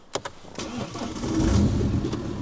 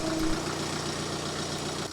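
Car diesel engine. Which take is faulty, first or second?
first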